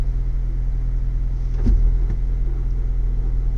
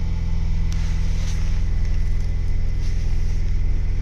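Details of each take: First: 2023 Ford Bronco with 7-speed manual, cold start at 20 degrees, about 1200 rpm warm-up idle in neutral with clutch released: low rough scraping drone like tumbling rocks that stops when the clutch is pressed, blamed on faulty synchronizers. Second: 2023 Ford Bronco 7-speed manual cold start at about -7°C (20°F), fast warm-up idle around 1,200 rpm, clutch pedal held in: steady smooth low rumble, no grinding; scraping appears once the clutch is released in neutral.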